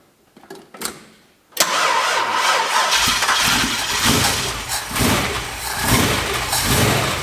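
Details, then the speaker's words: Ford XB Falcon MFP interceptor replica, non-runner, first start after getting fuel to the filter: starter whirs, engine catches into a loud, rough clattering idle with harsh metallic rattle; said to be the normal direct gear-driven cam timing, not a fault. "What sounds absolutely dreadful is apparently fine. I'll run you through it. So what you're hearing there, what sounds like a nut being flung around the water pump or something of the sorts, is a direct gear drive."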